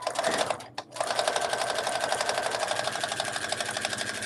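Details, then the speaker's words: Sewing machine stitching with a dull needle before changing to a new one: fast, even hard taps about ten a second, each a sharp punch as the blunt needle struggles through the fabric. "like a punching having a hard time to get through the fabric great yeah it sounds hard"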